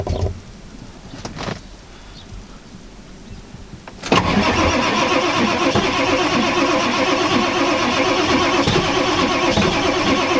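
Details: 1995 Ford F-350 7.3L Powerstroke turbo diesel, frosted engine in icy cold, sitting since November, booster attached, not plugged in: long steady starter grind that never catches; owner suspects not all glow plugs working. Cause suspected, not confirmed.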